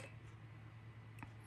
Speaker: all the way back two beeps and then neutral there going to be a series of [Music] beeps there you go the ESC is programmed